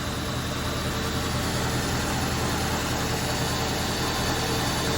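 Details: 1977 Winnebago Chieftain abandoned 20 years, driven 400 miles on seven cylinders; idle has uneven loping beat with recurring missed pulse; temperature gun shows one cold manifold runner, owner says a dead hole; misfire, one cylinder not firing.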